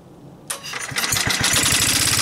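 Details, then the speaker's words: Onan PE-88 military power unit (350 W, 115 V 60 Hz) electric-started from the rear panel on a 12 V battery; short starter whir, catches quickly and settles into an even single-cylinder beat, an easy healthy start. "quite an easy start on the battery spins it over pretty quickly"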